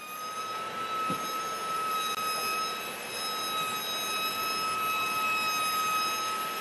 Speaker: recently I've noticed this really high pitch squealing noise coming from the back end of my vehicle so I took a look at the rear brakes and I noticed the pads are worn down where the warning tab on the pad is scraping along the rotor